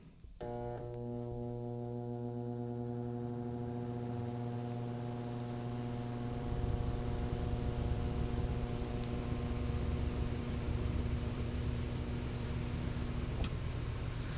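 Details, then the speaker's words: Single-phase high-inertia fan motor on a Brasiltec soft starter voltage ramp: hum holds pitch several seconds then rises into fuller air noise as the fan spools up slowly, rpm not rising linearly with voltage; normal soft start. "Tá bem claro aqui, presencialmente está bem claro que esse ventilador está acelerando de maneira mais lenta, né?"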